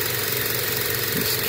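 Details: Used inverter-drive heat pump compressor condemned for excessive vibration, run on a VFD in a homemade water heater: steady hum with dull thumps as speed rises; owner suspects liquid slugging, with the accumulator frosting and high amps.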